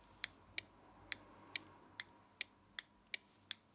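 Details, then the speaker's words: Motorcycle ignition on, newly fitted automotive five-pin relay for heated grips: crisp dry clicks about two and a half times a second, relay switching normally. "so now I've got the bike on and this just jammed in you should be able to hear the relay clicking when it goes to"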